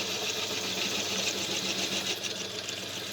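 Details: Dore Westbury milling machine with a Myford-nose spindle: the spindle and motor run with a steady, even high whir and light regular ticking of about 3.5 per second, smooth and healthy.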